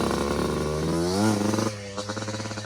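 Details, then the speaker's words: Yamaha Blaster two-stroke with carb cleaned and a 280 main jet fitted, running a little rich, on the trails: crisp rasp climbs under throttle, then drops to an even popping idle; it pulls clean and runs healthy. "It's a little rich, but when you're really digging on it and clearing it out, she rips."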